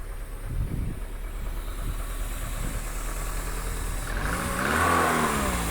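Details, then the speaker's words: 1993 car with 40,000 miles, sitting on an auction lot: uneven, lumpy, shaky idle with irregular pulses and a brief rev blip; an air leak or busted hose is suspected, not confirmed. "Engine's a little shaky, and there's a air leak somewhere, it sounds like. Busted hose."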